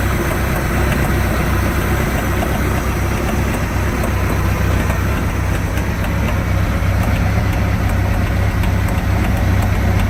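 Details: 1986 Sea Ray boat with new coupler, outdrive and gimbal bearing idles with a light clicking, roughly four a second, over the low rumble; seems to come from the rear of the motor; cause unknown.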